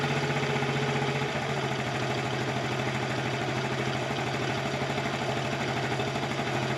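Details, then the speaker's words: 1984 Honda TRX70 quad single-cylinder, revived after years stored, on chainsaw gas: idle thumping about 2.5 beats a second, a touch uneven, sounding rich; owner smells richness and adjusts air mixture. "I'm trying to adjust the air mixture just a little bit. It smells a little rich to me. Of course, it's running on chainsaw gas."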